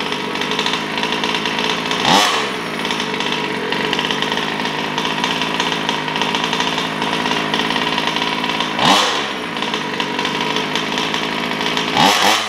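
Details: New Taylor RC 35cc two-stroke in a DBXL 2.0 RC car with Bartolone Racing exhaust and air filter, first-start heat cycles before full throttle: crisp buzz at steady part throttle with clean blips, smooth, no stumbling. Normal running.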